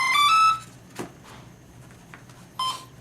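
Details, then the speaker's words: 50mm EDF RC F-16 powering up on a larger-than-stock battery: a quick run of rising ESC beeps, then short chirps as it arms and waits for signal, with a Spektrum DSMX receiver in bind mode. "So that's the ESC beeping, you know, ready to be receiving a signal, and here's the receiver with this little light on, means it's in bind mode."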